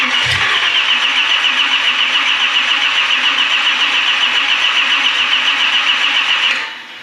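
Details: 1965 Chevy Malibu 383 stroker on a test stand, first start: about six seconds of even starter cranking near four turns a second that never fires; engine ran only seconds before ignition lost all spark, unsteady ignition.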